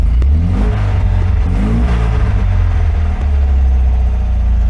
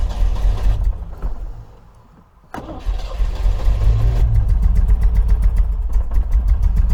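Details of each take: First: 1980 MGB after service, warming up, intake cleaner sprayed in, some smoke possibly from added oil: deep, strong exhaust note climbing cleanly on each throttle blip and settling evenly; running smooth. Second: 1980 MGB engine after oil, filter and plug change and tappet adjustment, running on very stale fuel; slow, uneven cranking with a lopsided beat, one cylinder still low on compression.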